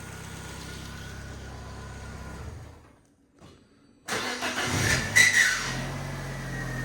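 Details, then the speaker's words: Car: on restart a brief harsh scrape and short squeal over the idle before settling; happens only on startup, owner suspects starter motor or possibly alternator, engine itself ticking over fine. "it can't be engine because that's absolutely ticking over lovely I'm wondering starter motor because it's only happening on Startup"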